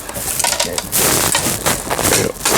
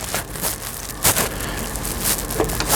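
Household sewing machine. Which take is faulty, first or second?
first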